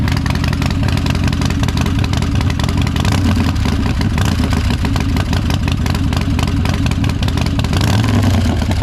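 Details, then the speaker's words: Crashed Harley-Davidson Dyna Street Bob Special with a reportedly built engine, first start after sitting for months, possibly on stale fuel. Deep, loping V-twin beat with throttle blips; it runs strong and even with no knocks or misses. "Pretty happy to know that it starts and runs. She sounds like she's had a bit of engine work done"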